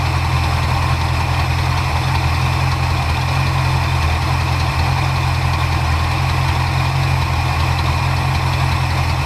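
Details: 1977 Ford Ranchero GT, 351 Windsor 5.8L V8 with FMX 3-speed automatic, after carburetor rebuild and idle mixture adjustment: steady, deep, even idle with no stumbles or hunting. It runs smoothly with the mixture set right.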